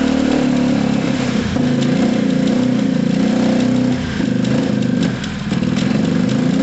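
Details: Gilera DNA 125 scooter idling low and lumpy, revs sagging and hunting, not taking any revs; a loose rear brake pad rattle is also audible. Rough low idle.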